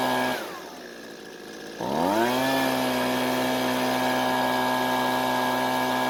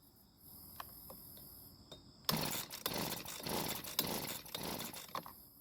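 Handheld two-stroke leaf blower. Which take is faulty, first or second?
second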